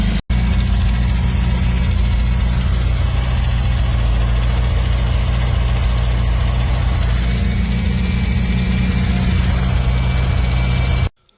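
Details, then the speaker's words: Donor 850 engine just installed and first run, before warm-up and ignition timing: steady low idle with a faint quick ticking, about three or four a second, on top; sounds like a slightly tappy valve from excessive clearance. "We've got a slightly tappy valve by the sounds of it. Apart from that, sounds alright."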